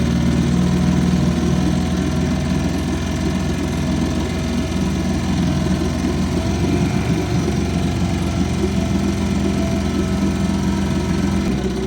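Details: 1955 Johnson 5.5 hp outboard running in a test barrel; steady, even two-stroke burble with a smooth low drone and no knocks or misses: a great runner.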